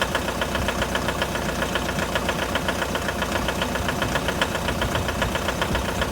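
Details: 2011 Mitsubishi L200 with 4D56 diesel at cold idle: steady, sharp knock about two and a half per second over the diesel clatter; cold-start engine knock.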